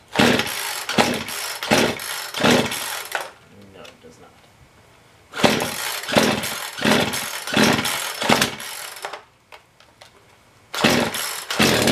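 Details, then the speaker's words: Poulan Pro chainsaw with cold-scored piston, after sanding the piston and reassembly; short revving bursts that rise then sag and die, can't hold high rpm, no power. Diagnosed bad coil plus scored piston. "it is a combination of bad coil and bad piston so you can replace it"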